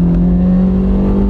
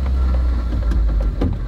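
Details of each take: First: 2005 Toyota Matrix with a manual transmission and a used replacement gearbox, pulling hard in third then second gear. Strong, even engine drone with no rattle under load; the catalytic converter is not clogged, normal acceleration. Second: Car idling fine with irregular metallic rattling clinks from loose pieces inside the catalytic converter; runs okay, no cat codes; secondary air injection pump code also stuck and cleared; catalytic converter rattle at idle.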